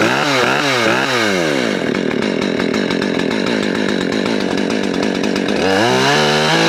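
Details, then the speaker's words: Husqvarna 564 XPG auto-tune chainsaw, not run in two weeks: on first cold start it sags and bogs with uneven revs, then after shutdown and restart climbs cleanly to more RPM; cause unclear. "You can kind of hear how it was bogging before, and then once you shut it off and restart it, it got more RPMs."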